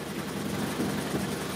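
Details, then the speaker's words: 2003 Toyota Corolla, intermittent power loss and hesitation, code P0301: short, rough sputtering idle with a lumpy uneven beat; scan data shows misfire counts on cylinder 1, later traced to a bad fuel injector. "Oh, as you can see in here, misfire counts on cylinder number 1. See that? Yeah, because the car is sputter."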